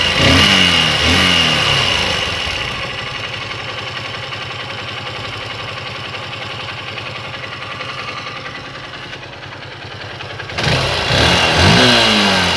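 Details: Honda XR 150 L single-cylinder motorcycle engine: a fast, even ticking clatter over the idle beat, rising briefly with throttle, seemingly top end. Engine noise, source unclear.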